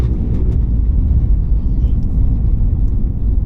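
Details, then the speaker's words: 2024 Mazda CX-60 3.3L turbo diesel mild hybrid driving on gravel: heavy constant low rumble with scattered light cabin rattles; harsh in-cabin feedback, rattle source unclear. "Yeah, it feels like it's taking a little bit more beating from incoming noises, the rattling that I'm getting in here, the feedback as well"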